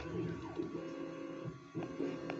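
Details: New 3D printer, first run: short whirring motor sweeps and pauses, tones rising and falling as the head moves; normal, lengthy bed leveling.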